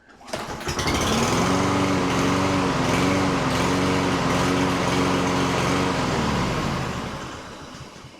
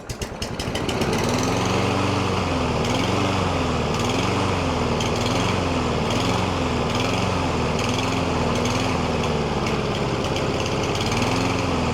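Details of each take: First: Lawn mower engine runs but surges and hunts, pitch swelling and sagging about once a second before stalling; tested whether STABIL fuel additives fix it without carburetor rebuild. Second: Single-cylinder lawn mower that had been surging, hunting and stalling, after treatment with STABIL fuel additives: it pulls up to speed and holds a fairly even drone with only a slight governor waver; it now runs well.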